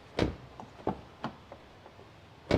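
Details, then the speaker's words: Car door closing normally after spraying WD-40 into the lock and hinges: several firm, clean thuds with no trailing rattle. "तो अब आप देखना जब मैं door बंद करूंगा तो इसका थर्ड जो है वो थोड़ा सा कम हो जाएगा।"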